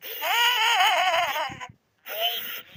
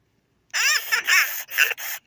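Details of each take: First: 1998/1999 Furby with burnt-out speaker: chirpy voice comes through harsh, crackly and distorted with pitch dropping and rising; worsening and heading toward a mute Furby unless the speaker is replaced. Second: 1998/1999 Furby after replacing the burnt-out speaker with a spare: high chirpy voice in quick bursts, clean and undistorted, no crackling; works completely.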